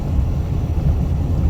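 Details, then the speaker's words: Unloaded 1-ton dually driving on a rough road after brake caliper work: steady low road rumble with no rattles or clunks; the rattles previously heard are gone. "But, well, so far, the rattles I was hearing, I don't hear them, and this is a plenty rough road for an unloaded 1-ton dually."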